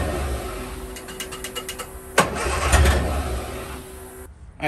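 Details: 1963 Austin Healey Sprite 1098, after a fuel filter and gasket replacement, with fuel flowing under pressure. Quick, even starter pulses for about 1.5 seconds and the engine never catches; it still cranks and won't start.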